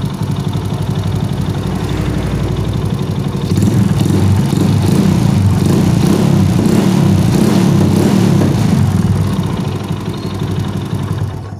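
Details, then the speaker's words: Honda Astrea Grand motorcycle at steady, even idle after repair, with small single ticks, no knocking, revs rising and settling; the earlier rough clatter came from a loose magneto nut and a bolt left inside the magneto. "nah seperti itu teman-teman ini sudah halus lagi permasalahannya Ya bisa dibilang sepele"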